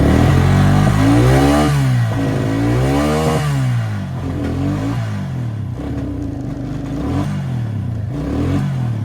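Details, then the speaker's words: Quad bike with a faulty rectifier: runs fine below 14.5 volts, but when revved the charging voltage rises to 15–17 volts and revs climb, sag and stumble about four pulses a second. The engine breaks down from overvoltage. "Now when I start it up, it'll run perfect under 14.5 volts. But as you'll see in a second, as you go to rev it, as soon as it gets over 14 volts, it'll go to 17 or 19 or anything above 14.5, it breaks down."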